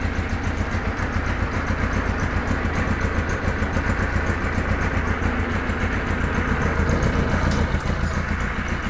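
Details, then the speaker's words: Cold Kawasaki KZ1000 police bike four-cylinder at idle with choke off: uneven, lumpy, wavering idle with rattle and vibration. Compression 145–155, charging 13.8–14.2 V, crankcase vent and ignition wiring checked. Rough idle, cause unknown. "so anyway that's as good as I can get it to run I can't get it to run any better than that and that runs like crap"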